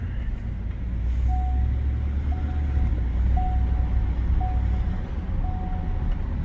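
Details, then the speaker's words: 2018 Ford F-150 5.0 with 8.8 rear axle and locker, rebuilt after water damage, on a test drive: steady cabin drone and aggressive-tire tread hum, no whine, growl or clunk from the rear differential. "It's got some decent sized aggressive tires on here, so you hear the tread. You don't hear anything from, and it's got that rattle on snap X."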